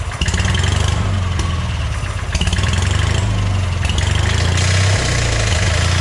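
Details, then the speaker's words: Hobart welder generator engine from a scrap yard, unused for years, running on fuel dribbled into the carburetor: uneven running with sharp clatters every second or so, seemingly from inside the fan shroud. "that did not sound good i have no idea what that was it almost sounded like there was something inside this um fan shroud separate from the motor itself maybe inside the generator here"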